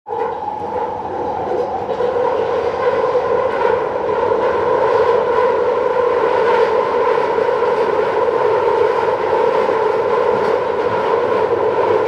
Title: London Underground Central line screeching noise (Headphone warning)